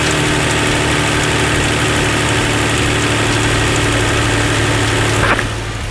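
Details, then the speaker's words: 2007 Hyundai Entourage 3.8 V6 with a former no-start and P0102 code, after installing a new MAF/IAT sensor: engine catches and holds a steady, even idle with a smooth low hum and no stalling. "far it's staying on. We can wait for about 30 seconds or minutes. Staying on. That's good."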